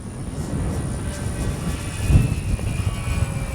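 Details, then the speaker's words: Dynam Cessna 310 Grand Cruiser V3 RC plane in flight, twin Detrum BM2815-1100KV brushless motors, spinners removed to fix earlier problem: smooth, even drone from both motors with gusting wind, no roughness or beat; much better than before. "Yeah, that sounds so much better than it did before. Oh yeah, that sounds so much better."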